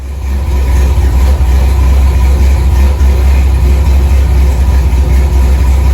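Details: 1964 Chevy II Gasser, LS V8 swap with Holley Terminator X, after cooling system filled; deep steady rumble, even idle set at 950 rpm (owner wants about 800), no misses, knocks or surging; normal idle.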